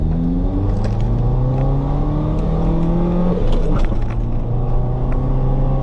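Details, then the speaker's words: Mazda B2300 work truck on test drive after cylinder head temperature sensor replacement: low droning engine strains under load, revs climb slowly; pulls a little harder than before and code stays off, but still sluggish acceleration, cause unclear. "All right, it's definitely pulling a little bit harder than before, but it is still pretty slow."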